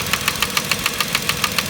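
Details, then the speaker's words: 2010 Vauxhall Corsa 1.0 Ecoflex three-cylinder replacement engine at idle: sharp light tapping about seven times a second, sounding like big-end or little-end knock, actually worn, loose ECU-controlled inlet manifold swirl flaps rattling. "now forgive me if I'm wrong but to me on the face of it if I looked at this engine and I knew nothing which I don't really know anything anyway I would have said that was an engine pack"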